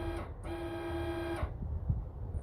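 Steady, even-pitched motor buzz runs for about a second, then stops cleanly without straining or grinding: the actuator is working normally.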